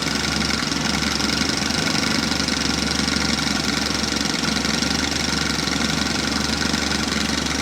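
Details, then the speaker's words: 1984 Chevy Citation, sat about 10+ years, smooth even idle running on its own with no battery, alternator charging about 14 volts, after topping up transmission and brake fluid; no misses or knocks. "she's still sitting here running with no battery pushing 14 volts"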